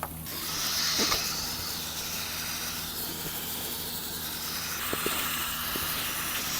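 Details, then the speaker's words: Samsung refrigerator with a leaking internal pipe, checked by stethoscope: steady high-pitched hiss with faint hum, loudest at one spot where refrigerant escapes from a pipe joint. "เสียงดังขึ้นมากในบริเวณนี้ดังนั้นตรงนี้นี่คือบริเวณที่เสียงมาจาก"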